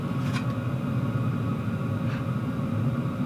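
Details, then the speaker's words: WIPPRO diesel heater heating a camping ARB room, blower on high: low, smooth, even hum with no ticking or clicking, just blower noise. Normal running. "Very impressed with this heater. No ticking whatsoever, just the blower noise, and that's on high."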